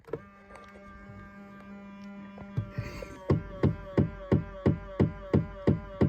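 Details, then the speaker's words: 2000 Ford Explorer XLT power side mirrors, driver and passenger: faint motor hum, then sharp regular clicks about three per second while the mirror adjusts; noisy mirror motor, possibly a slipping mirror drive, cause not confirmed. "I'm gonna show you the driver's side mirror and the passenger side mirror making a funny noise. You'll hear it momentarily, what makes me laugh."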